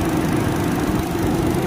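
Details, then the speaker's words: Car at about 114,000 km, idling, after replacing the worn radiator fan motor: a smooth, steady whir with no wobble or rattle. Vibration is now very smooth compared with the severe shaking before. "nah bosku terlihat ya ini sudah diganti dan hasilnya sudah nggak goyang lagi nih sangat halus getarannya ya kayak yang tadi ya yang tadi sangat parah anteng banget"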